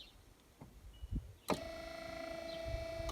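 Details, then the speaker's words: 1993 Chevy Lumina APV windshield wiper motor on strut tower after resoldering circuit board and fixing broken part, wipers weak after washes; delay mist setting: pause, then clean steady whir through one sweep, no grinding or catching; normal operation. "Here's mist. That sounded promising. It's on delay mist, so that means in a couple seconds it should spin again."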